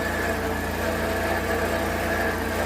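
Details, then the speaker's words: Engine swapped into a Mule FXT Pro, first start after the swap: steady idle, engine itself sounds good, but a constant high whine and rough growl come from the alternator; owner judges the alternator bearing worn out. "The engine sounds great though. Alternator bearing sounds like it is done ski, so I guess I'll order one of those."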